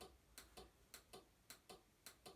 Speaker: we'll turn it on and one can immediately hear the ticking sound inside the box which is the relay switching on and off